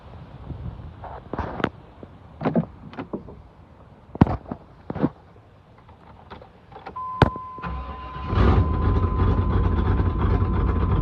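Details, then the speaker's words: 1995 Suburban 350 TBI V8, 257k miles, just after replacing both fuel injectors (one suspected stuck, power loss), not started for a while: clicks and door chime, then catches at once into smooth steady idle, runs better than before. "Oh, that started. Started crazy. I ain't started it up in a minute, though, but All right, that's dope. Sound better than what it did."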